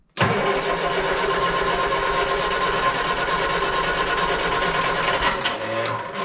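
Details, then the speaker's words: 1971 Triumph Spitfire MK III four-cylinder, starting after 14 years sitting, using starting spray: brief crank catches right away into a steady, even, not-too-loud idle with a little clicketty-clack rattle; normal idle. "I can hear a little rattle. That's it. That's all there is. Clicketity clack."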